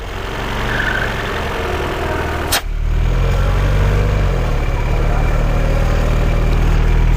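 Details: 2012 Peugeot 408 on lift, after replacing the oil filler cap whose faulty valve made a belt-like noise: steady low, even idle with smooth unchanging beat and no ticking or knocking; engine sounds healthy.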